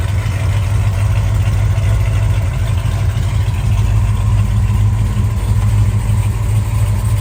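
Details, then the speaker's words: 1968 Dodge Charger V8 after the leaking clamped X-pipe exhaust was welded up at the collector and joints: deep, steady idle burble, quieter in cabin, all exhaust exiting the tailpipe; no ticking or puffing, sealed healthy exhaust. "it definitely sounds a lot more quiet in the cabin and uh everything's going off the back pipe like I said"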